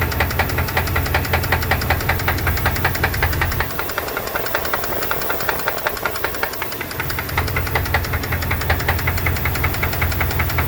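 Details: 2002 Dodge Dakota 4.7 L at idle: regular light tick about 158 per minute keeping pace with the engine; lifter noise or piston slap suspected, not confirmed.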